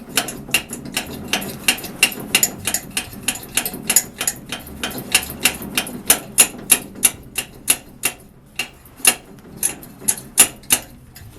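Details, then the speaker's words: Old blow torch being restored; hand pump's packing pushed out with back pressure so it flares against the cylinder walls, now pumping with sharp strokes about three per second and building pressure until it hisses; pump working normally. "Now it's starting to pump. Had to get that packing pushed out, a little back pressure on it so that it flared out against the sides of the pump."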